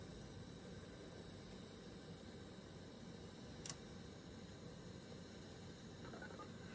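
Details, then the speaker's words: VCR playing 1988 Santa Claus VHS tape, TV volume turned up loud: steady hiss with low rumble throughout plus one brief click; unexplained background noise, cause unknown. "Yeah, not sure what that darling noise is. I mean, I've heard it in quite a few videos, but not like that."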